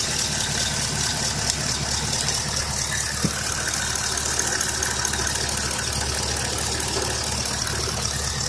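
Light, fairly quick ticking over a steady idle, about two per second, no load change; sounds like valvetrain tick, cause unconfirmed.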